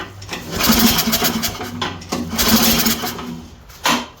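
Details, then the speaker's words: Toro 724 OE 1000-series 7 hp snowblower: uneven cranking bursts that nearly catch once but never fire. Hard starting from low compression, because both valves, especially the exhaust valve, are very loose and need adjustment. "it almost fired Val still together oh they need adjustin see that this is the exhaust valve super loose"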